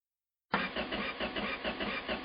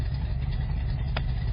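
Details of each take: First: Carbureted engine, first start attempt in the car: even starter cranking a bit over two beats a second with no firing at all; crank no start because the rocker arms were never installed. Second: Freshly rebuilt engine with carburetors, first start, idling in the car: a steady low, even rumble with no knocks or misses, settling into a smooth, healthy idle.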